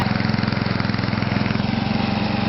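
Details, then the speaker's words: Toro 832 ride-on mower after a new carburetor was fitted, small engine chugging with a fast, uneven pulsing beat and wavering note, running roughly but staying lit. "I'm happy with that. Running. Hot water crap, but sort of running."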